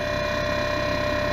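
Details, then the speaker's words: Alpicool T60 dual-zone 12 V 60 L portable fridge freezer, eco mode, low battery voltage setting, mic placed down near compressor: even steady mid-pitch hum, a bit louder than a normal fridge but smooth; normal compressor running. "mean it sounds like like a normal a little louder than a normal fridge but i think i can sleep at night with that"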